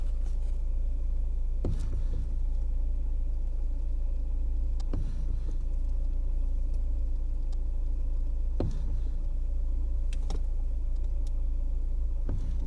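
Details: Lada Kalina Cross at idle: single sharp clunks every couple of seconds as the steering wheel turns; knock somewhere in the steering, cause not confirmed.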